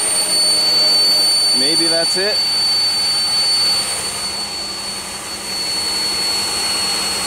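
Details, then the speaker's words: 2001 Pontiac Aztek GT, recently rebuilt engine, idling: a steady thin high-pitched whistle over the idle, suspected vacuum leak at the intake plenum gasket. "yeah I think I found it that's kind of what got me the thinking that it's a vacuum too"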